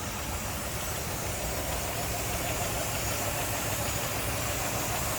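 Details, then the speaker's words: 1959 DeSoto Firesweep Sportsman 361 V8, with the hood open: steady, even idle rumble with a soft rapid pulse and no knocks or misses, idling very smoothly. "Listen how smooth that is, wow."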